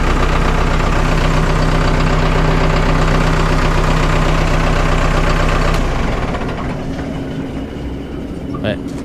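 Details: Vermeer 1800 diesel wood chipper bought at auction, first start in four years, drum engaged: steady, even diesel idle with a regular low beat and no knocks or misses; runs smoothly, feed wheels not turning (owner suspects solenoid or fuse).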